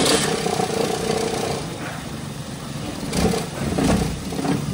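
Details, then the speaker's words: Toyota Avanza gasoline engine idling with heavy vibration and an uneven, breathing-like surge and stumble; exhaust smoke smells sharp, as if fuel isn't burning properly, despite new spark plugs. Misfire traced to shorted oxygen sensor wires. "Kung mapapansin niyo sobrang vibration nung artist tapos yung andar niya hihinga-hinga. Nahalataan ko rin mga boss maanghang yung usok ng kanyang tambutso no. Parang hindi nasusunog ng maayos yung kanyang gas."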